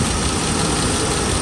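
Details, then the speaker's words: Mercedes S500 V8 idling at operating temperature, first start after timing chain and guides replacement; steady idle with uneven, lumpy low beat, a misfire at idle, possibly from swapped spark plug wires, owner suspects. "okay Kenny start it right up really nice but I do have a misfire though I think that makes I think I switched over spark plug wire"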